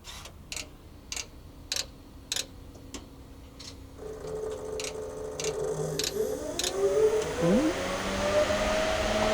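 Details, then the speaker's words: Revolt Motors diesel-electric Peterbilt truck, factory Peterbilt wiring, key turned on: relays click a few times, then several cooling fans spin up together into a steady rising whir and settle evenly; normal fan startup. "we're going to turn the key on and uh we're going to hear all the these fans start firing up"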